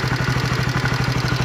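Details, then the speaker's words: Honda CB150R engine idling after reassembly, fast steady light ticking; camshaft bearing scored from oil starvation and damaged stabilizer (tensioner), owner unsure fix will hold. "Sama lahar noken-nya itu, lahar timlar itu udah yang sebelah X itu ternyata sudah kegores, pernah kemakan kayak motor telat oli gitu. Jadinya seperti ini suaranya."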